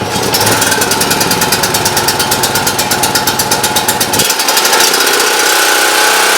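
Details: Champion Dual Fuel 3500 W generator that would not start, after carburetor cleaning, started on full choke: fires with a rapid, loud, slightly uneven popping rhythm, then settles and runs normally.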